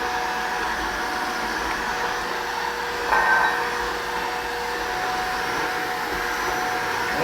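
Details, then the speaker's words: Shark vacuum cleaner after picking up about three cups of baking soda: steady high motor whine with a brief surge, straining as fine powder clogs the filter and escapes past it. "that seemed like a larger cat she's really struggling now"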